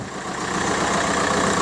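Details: 2002 VW Golf PD130 diesel idling after the injector loom was replaced. A brief, steady idle clatter with no roughness or surging; there's no vibration and it's running just like it should.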